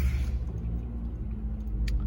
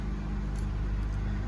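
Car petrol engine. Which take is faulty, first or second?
first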